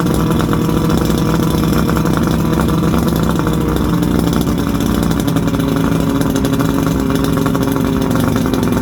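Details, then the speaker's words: 1979 Johnson 90 hp V4 Seahorse outboard on a Steury boat, running on muffs, telltale plugged, probably needs plugs: steady, even two-stroke drone at constant speed with no misses, knocks or rattles; normal running. "all right i think i say that runs good probably could use some plugs and stuff"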